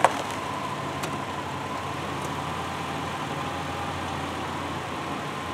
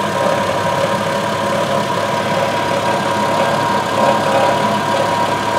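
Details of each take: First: 2002 Subaru Outback L.L.Bean, idling after the exhaust heat shield rattle repair: quiet, steady idle with no rattle or buzz from underneath. The engine sounds smooth and settled. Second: 2002 Subaru Outback L.L.Bean at idle, before repair. A light, uneven tinny buzz flares every few seconds over the engine note, from a loose exhaust heat shield.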